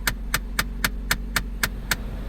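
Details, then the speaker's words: Manual Jeep Patriot towed in, won't move, running at idle; regular sharp clicks about four per second from stripped blend door, heat door or recirc actuator motor; blend door actuator clicking. "That is a broken or a stripped out blend door motor or heat door motor or something along those lines, or recirc motor. That's what that is."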